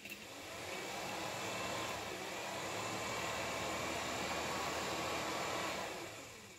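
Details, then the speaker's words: VW Squareback fresh air box blower after repositioning so it won't rub: a smooth airy whoosh builds, holds even with no rubbing or ticking, then fades; normal blower operation. "all right so didn't obviously make any noise so that's good"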